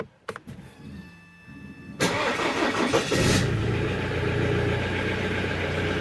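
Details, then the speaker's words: Alfa Romeo Stelvio 2.2 JTDm2 diesel just restarted after oil sump removal and pick-up seal replacement: cranks, catches, then a slightly clattery idle as oil re-primes the hydraulic buckets/lifters. "you can also hear the engine a little bit noisy that is because the oil backed up a lot and now it has to Prime the hydraulic buckets and whatnot"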